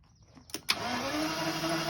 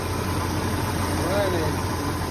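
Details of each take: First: 1986 Jaguar XJS with rat-damaged wiring, after a wire repair restored cranking; fuel smell present: starter spins the engine at a steady, even whirr but it never fires; crank no start, no spark. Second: 1986 Jaguar XJS running after rat-damaged wiring repairs and connecting two small wires, some vacuum hoses still to be sorted: smooth, even low idle with steady rumble and no misfire stumble or knock; normal idle.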